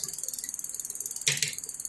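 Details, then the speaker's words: Mongoose Ardor MTB, 1x7 drivetrain (14T–38T), after replacing the bent rear derailleur hanger and derailleur; in first gear then shifting down toward 6 and 5. Quick even freehub ticking, one brief shift clunk, no grinding; runs smoothly, no problems. "This is on first gear. Sounds like a baby. Sounds like a baby. It doesn't have any problems."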